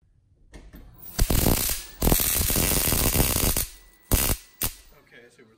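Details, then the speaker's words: Capcom Big Blue arcade monitor in a Super Street Fighter II Turbo cabinet, previously rebuilt: sharp irregular crackling snaps in bursts over a faint high-pitched whine as high voltage arcs from the flyback through the air to nearby parts; silicone used as a stopgap. "it's arcing really badly somewhere in here it's basically shooting it looks like the noble Frankenstein in the film where there's like electrical current passing in the air between this fly back and thi"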